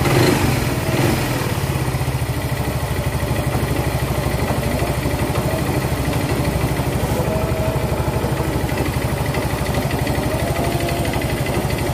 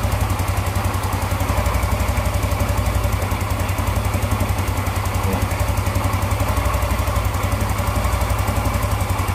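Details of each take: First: Yamaha Mio Z fitted with a new block and piston set a few months earlier: loud rapid steady metallic clatter at idle; worn piston slapping in a scored bore plus a loose connecting rod. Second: Yamaha Mio Z with old Vario 125 FI piston fitted after a new block and piston set failed within months, freshly assembled: even, quick single-cylinder putter at idle, about four beats a second, no rattle or slap; quite smooth.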